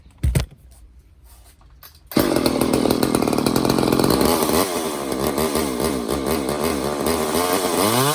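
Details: Old Craftsman chainsaw after Walbro carb rebuild and new air filter, fuel filter and fuel lines. A starter pull, then it fires and revs cleanly with a strong, even buzz and no stumbling. Normal running.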